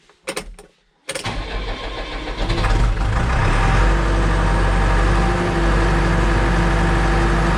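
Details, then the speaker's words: New Holland TS100 tractor diesel after fuel filter change, air in fuel lines; died after a minute, electric pump cycled to build pressure: a few short crank bursts, then it catches and settles to steady even idle. Hard starting from air. "Okay, so you heard it, the machine started up and then it died after running for a minute or so."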